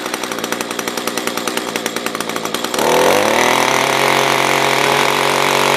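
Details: SRM-210 trimmer after carb replacement, during main/idle screw adjustment: choppy pulsing low-speed run falters, then catches and screams to steady high revs; owner thinks fuel is below the fuel filter, causing starvation stumbling.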